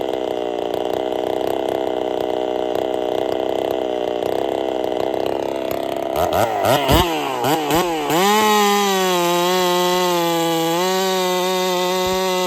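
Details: Holzfforma 372 chainsaw, big bore kit, wild porting, first test with ignition timing advanced: rough unsteady buzz surging and wavering, popping, won't rev out to full; owner suspects timing too far advanced.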